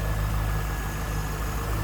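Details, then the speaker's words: 1998 Chevrolet Corvette convertible pace car, stock 5.7 liter LS1 V8, hood open: steady low idle rumble with no misses, knocks or ticks. Normal, smooth idle. "Smooth running, great sounding. Just the way it should be. Very reliable engines."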